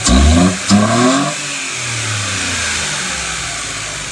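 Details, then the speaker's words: 2017 Mitsubishi Mirage three-cylinder with 3D-printed MAF adapter intake and heat-wrapped manifold: quick throttle blips with loud throaty intake roar, then even idle; healthy normal revving, likened to a PT Cruiser. "That is gnarly how loud that is. Yeah. It reminds me so much of the PT Cruiser."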